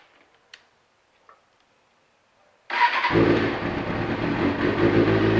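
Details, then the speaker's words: 2007 Kawasaki ZZR600 first start after changing the spark plugs: quiet, then it fires straight up and settles into a smooth, even four-cylinder run with steady revs; normal start and rev, engine healthy. "first time to fire it up hopefully it doesn't explode on me that would suck"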